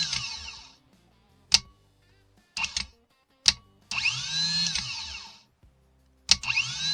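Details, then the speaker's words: Starter motor from a 2018 Chevrolet Malibu that only clicked, bench-tested with A and B pins bridged: sharp solenoid clack, then motor whirs to high spin and winds down; starter engages and turns strongly again. "Como pueden ver, está funcionando otra vez el motor de arranque."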